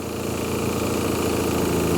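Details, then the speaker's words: 1966 Plymouth Barracuda Formula S V8, first run after sitting for decades, carburetor leaking fuel at base: smooth, even V8 idle rumble, no rattles or knocks, slightly smoky; normal idle. "wow it sounds good too a little Smokey"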